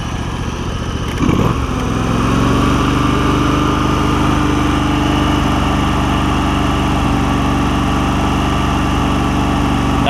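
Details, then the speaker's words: Free John Deere LX188 lawn tractor after fuel system overhaul (fuel pump, fuel line, tank grommet, carburetor refitted): steady, even single-cylinder idle with a smooth low beat, no misses or surging; idles down properly and runs much quieter than a 279. "look listen to how listen to how good it runs idles down like it needs to this one is so much quieter than that 279."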